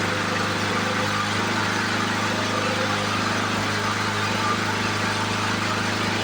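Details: 1977 Ryan commercial bricktop mower (Lawn-Boy family), sat in storage for decades, revived: even, buzzy two-stroke drone at one steady speed with no misses or surging; normal running.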